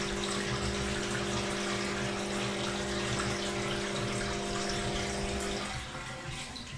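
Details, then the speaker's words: 2009 Samsung WW7708N6W1 washing machine after drain pump replacement, on a 15-minute quick test cycle: steady pump hum under rushing water, then dropping away as the tub empties; it previously only trickled and errored. "it's draining properly. You can hear that."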